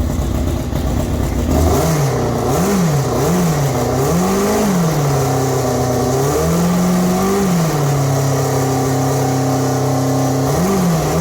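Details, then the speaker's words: Formula 4 race car after fuel-leak fix (fuel pump O-ring replaced), very loud: crisp revs climbing and dropping smoothly with the throttle, then settling to a steady even idle; normal revving. "can't hear nothing now. That is awesome."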